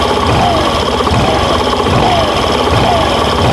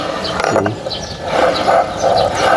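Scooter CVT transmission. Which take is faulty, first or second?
second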